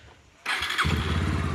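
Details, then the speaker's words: Bajaj Pulsar 150 after replacing the front chain sprocket, started and revved: steady even idle with no chain knocking; only slight noise from the old chain's links remains, knocking problem fixed. "अब आप देखिए कि इससे खट खट की किसी प्रकार की खट खट की आवाज़ नहीं आ रही है। यह सिर्फ चैन पुराना होने के कारण थोड़ी सी जो गोटियां हैं चैन में उसकी आवाज़ आ रही है, और वह प्रॉब्लम मेरी ख़त्म हो चुकी है खट खट की वाली।"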